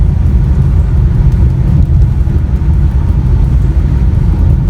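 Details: 2013 Chevrolet Aveo driving through curves and braking after replacing the noisy rear double wheel bearings: steady low road rumble with no squeal, growl or grinding from the rear wheels.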